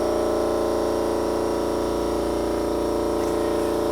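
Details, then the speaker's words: Electric-converted BMW 320i with Siemens motor, ignition on: smooth steady electric hum of vacuum brake pump and coolant pumps, even pitch, no rattle or surging; normal operation. "Turn the ignition switch, and you can hear the vacuum pump for the vacuum brakes, which will run a little while till they pulls down. And the water pumps will have started up too."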